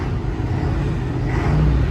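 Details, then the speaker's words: 1989 Volvo B10M Mk2 bus, THD101GC engine with ZF4HP500 4-speed automatic, tacho not working: deep, steady diesel idle rumble with an even beat, no knocks or misses; owner says it sounds healthy. "the bus sounds healthy so that's just a quick update of the bus"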